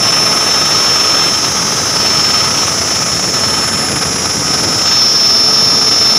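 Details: Constant shrill high-pitched squeal from the AC fan belt over the running engine, steady with no rhythm; cause not yet known.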